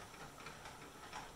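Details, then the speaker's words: Pressure canner canning homemade chicken broth, gauge at 11 pounds and rising toward 15, heat about to be turned down to 6.5: soft, steady, even steam hiss without sputtering or rattle; normal pressure build-up. "so we're at 11 pounds now and increasing when we start getting to 14 pounds it's probably i'm actually probably going to turn the heat down now to maybe 6.5"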